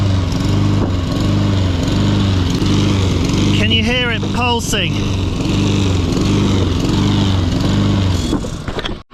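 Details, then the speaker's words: Roller lawn mower under load while mowing, still faulty after the shop cleaned the carburetor: the engine rises and falls about four times a second in a steady hard pulse; it is surging and the cause is not confirmed. "Don't know if you could hear it pulsing there, but the mower's we're gonna have to switch the mowers, go back to base and get the other one, because this is it's pulsing really hard, and it's what I took it to the shop to get fixed."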